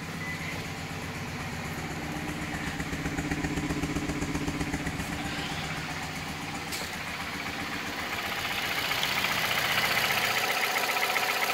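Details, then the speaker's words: 2008 Nissan Versa hatchback, 1.8 petrol, 188,000 miles, idling with an uneven, stumbling misfire that started today; check engine light had been flashing; owner suspects a coil, and the cause turned out to be failing ignition coils. "okay so this is a 2008 Nissan Versa Hatchback with the 1.8 in it it's my grandmother's car and we have a misfire definitely you miss"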